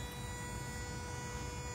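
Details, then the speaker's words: Toyota hybrid with A25A-FXS engine in EV mode, reservoir coolant lowered to view flow: smooth even electric hum of the inverter coolant pump, coolant flowing continuously; pump working, checked because both hoses had the same temperature. "yes that's the sound of the pump it's working and I can see the coolant flow is uh continuous and I can hear it from here"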